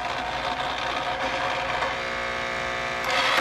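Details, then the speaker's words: Bell & Howell Slide Cube RF60 projector, whirring advance mechanism then a sudden clatter and abrupt stop; a slide jammed in the changer. "okay it kind of got stuck there yeah it's not want to work"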